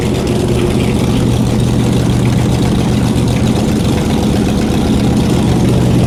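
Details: Shelby Cobra 427 V8, first run back in the car after almost a decade, on open headers without mufflers: loud, deep, lumpy burble that holds steady without stalling; normal idle.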